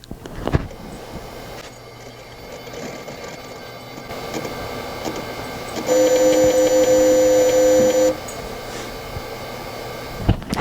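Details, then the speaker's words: 233MHz Bondi Blue tray-load iMac G3, microphone held to it during boot after an OS 9 update: soft repeating ticks about three a second, then a steady high whine; slow boots and crashes indicate the hard drive is going bad. "That's the noise, and it makes that the entire time it's booting up most of the time. And it takes a very long time to boot up if it doesn't crash in the process. So the hard drive is definitely going bad."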